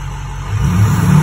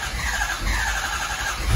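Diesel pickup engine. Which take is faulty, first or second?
second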